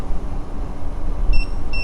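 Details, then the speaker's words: Extreme Bull Commander electric unicycle on a full range test: two short high-pitched beeps over road and motor noise at 21–22 mph as voltage sags to about 76.5 V under load; low battery warning. "Well, I just heard first beeps between 21, 22 miles per hour, and it looks like when the voltage drops about 76.5 volts, somewhere in there, I'm getting some low power beeps."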